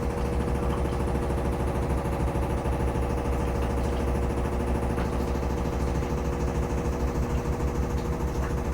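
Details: Samsung FlexWash upper washer on the Delicates spin: steady thumping of about three beats a second over the drum drone while the machine shakes, with an unexplained banging that is not the dryer, which is an inch away.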